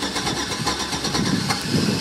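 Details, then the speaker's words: Older Chevy Tahoe with rough running, check engine light and long crank time: lumpy cranking rhythm, some strokes faster than others, catching only with throttle as if flooded; strong gas smell, not firing on all cylinders; suspected compression problem. "I hear I hear a compression problem. I had to give it gas to get it to start to basically like almost like a flooded condition."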